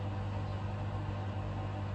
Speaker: so came the the pump pumping out the water it's pretty quiet as well